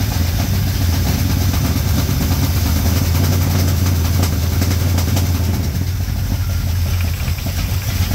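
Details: 1987 Chevrolet K10 squarebody 4x4, V8 just started for the first time after new head gaskets installed, idling to warm up; deep, steady rumble, even beat, no knocks or misses. Normal idle.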